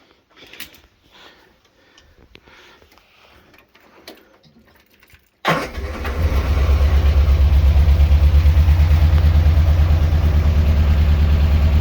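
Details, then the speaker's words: Morris Minor Traveller petrol four-cylinder at raised idle, set high because it would otherwise cut out, after developing a misfire on a long road trip; unplugging plug three leaves the lumpy, uneven running unchanged, marking cylinder three as the dead cylinder. "that one was running the same as with all four cylinders plugged in so that's our number one suspect there"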